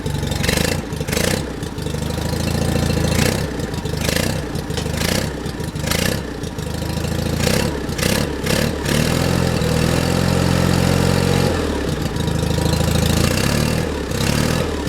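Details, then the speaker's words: John Deere 316 lawn tractor engine in about 36°F cold, choked by hand: uneven idle that sags and surges with choppy dips, staying lit only on choke; owner suspects a clogged carburetor idle circuit jet, or just cold weather. "see if I can take that choke off yeah I think the idle circuit JS clogged I'm just choking it with my hand that's all"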